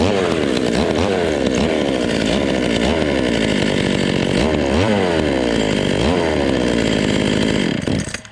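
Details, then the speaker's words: Vintage Stihl 020 top-handle chainsaw, cold, after plug wire replacement: uneven low idle about eight seconds, then instant cut-out rather than fading; owner suspects ignition problem such as a bad coil, unconfirmed. "And like I said, if it was a fuel problem, it would just sort of gradually die out on me. But I mean, it just acts like somebody just shuts it off."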